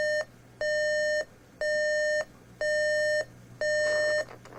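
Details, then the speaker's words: RCA RP-3740A CD clock radio, alarm test after CD playback failed: steady high-pitched beeps about once a second, each about half a second; alarm works, not volume controllable, sounding from the bottom of the unit rather than the speaker. "Doesn't appear to be volume controllable. Probably because it's not even coming out of the speaker, it's actually coming out of the bottom of the unit."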